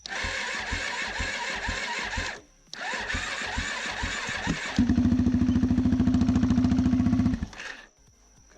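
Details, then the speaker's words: First start of a rebuilt big-bore Arctic Cat DVX400 (LTZ440) single on fresh 93 octane fuel, new fuel lines, stock exhaust with power tip, airbox off: short starter bursts then steady even thump; sounds healthy. "okay okay sounded good this is just a stock exhaust with a little power tip so it's gonna have a little deeper of a tone but it's pliant gonna sound very very good"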